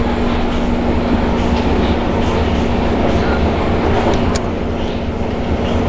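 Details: C151 train cars 093/094 running Choa Chu Kang to Yew Tee, Ang Mo Kio-bound, January 2012: steady rolling rumble with wheel clatter and a rough grinding still present under car 3093 throughout the run; cause not known.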